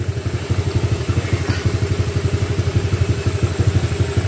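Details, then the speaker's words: Honda Click 150i scooter, 62mm loaded engine returned to stock, valves set 0.10 intake/0.20 exhaust; steady pulsing note, no ticking or knocking, earlier loud ticking gone, note altered by the pipe: normal running. "Malayo na doon sa kaninang Malagatik 73. Medyo iba yung tunugan niya mga sir dahil sa pipe."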